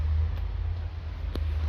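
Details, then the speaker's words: Small electric water pump for a shower sprayer, switched on directly via a switch: low steady even hum, no rattling or cycling; running normally. "là on a dû la pompe qu'on entend c'est en route sa forme directe pas cool via un interrupteur"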